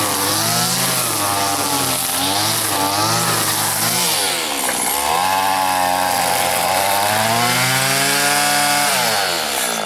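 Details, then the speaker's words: Stihl FS80 two-stroke trimmer after a carburetor rebuild and ultrasonic cleaning, cutting grass: a high, steady buzz whose pitch dips and recovers as the line bogs, then clears cleanly; running fine, with low-speed adjustment still to be tweaked. "Doesn't seem bad, but I tell you, I still like my 4MX machine better than these old two-stroke ones."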